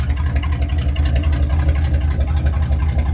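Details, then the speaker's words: 1966 Ford Thunderbird, 428 cubic inch never rebuilt to owner's knowledge, cold start with squeaking belt: deep loud burbling lope with boat-like drone at idle; exhaust too loud, mufflers worn out and need replacing. "as you can hear it sounds like a boat"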